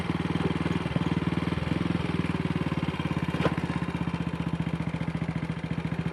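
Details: Single-cylinder motorcycle, Wassell Evolution (Amal Concentric) carb, after fixing twisted dislodged needle clip: clean, even idle slightly fast; owner may adjust throttle stop screw.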